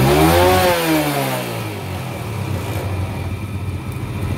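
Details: Yamaha Jupiter Z carburetor service: after adjusting the air screw (previously too lean) for highest rpm, engine revs up and falls back, then settles into a steady, fairly brisk idle; mixture now set right, running clean.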